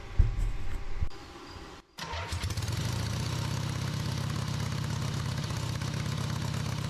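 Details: Rebuilt Harley V-twin on off-road trike, first run after timing was significantly advanced, carb working; short stumble and pause, then steady, even, loping idle with no knocks or misses; normal idle.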